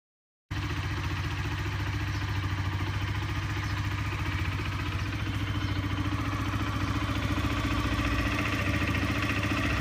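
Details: Honda CBR125R at steady idle with a fast metallic rattle on every beat, about three or four a second, first heard while riding home; the engine was stripped and the gudgeon pin was found fractured.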